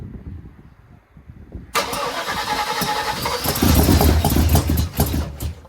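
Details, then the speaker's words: 1979 Malibu first start after cam and heads swap, slight throttle held: catches then sharp pops and coughs back through the carburetor as it stumbles; ignition timing is off, distributor set near top dead center. "See how it's backfiring through the carburetor? Yeah. We know the timing's off."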